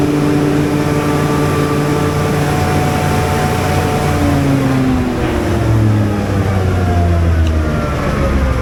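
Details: Generator on a service call, run during a voltage check (283 V line to line, about 278–279 V line to neutral): a loud, steady low drone with slowly wandering pitch under governor control, no knocks or misses. Normal running.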